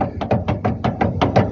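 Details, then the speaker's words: Opala front suspension: rapid dry knocks about five a second, as when hitting a pothole, from a blown front control arm bushing with visible play. "A hora que você pega o buraco, ela dá umas batidas secas, ó."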